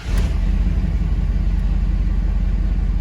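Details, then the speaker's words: Ford 6.7 Power Stroke diesel after fixing a P0204/P1554 injector 4 misfire (new injector plus a repaired bad harness wire): deep, even rumble right after start-up, idling smoothly on all cylinders, no longer rough. "oh yeah yeah way better I mean this thing ran rough like you wouldn't even want to move this thing across the yard before so I'm happy with that"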